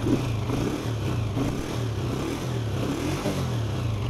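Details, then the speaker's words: Honda CG125 petrol motorcycle after cleaning dirt from the carburetor jet, water and dirt from the tank, and the filter: the single cylinder blips up and settles to an even idle without stumbling or hunting; normal rev and idle. "पहले यह खड़ा नहीं हो रहा था क्योंकि इसका वो जो जेट था ना उसके अंदर कचरा था जिसकी वजह से यह प्रॉब्लम कर रहा था तो अभी ये बिल्कुल अपनी नर्मल हालत में है"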